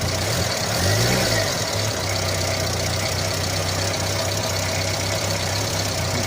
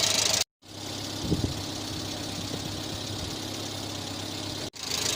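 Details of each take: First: 1986 Renault Super 5 GTL 1.1 petrol, cold start after oil change, in neutral with clutch pressed, too much choke applied: steady, slightly raised idle hum with no dip or stumble; fast idle likely from excess choke, suspected. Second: 1986 Renault Super 5 GTL 1.1 petrol, after engine oil change with 15W40, starter recently worked on and smoking slightly; warm idle with an even, quiet beat, fairly stable, no misses or knocks; normal idle.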